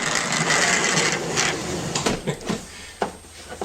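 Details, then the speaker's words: 2005 Toyota Sienna power sliding door after replacing the defective center hinge: smooth steady motor whir, then soft latch clicks with no binding or scraping; door stays open, no longer hits, works as it should. "And it stays open. And it no longer hits anywhere down here. It does what it's supposed to do."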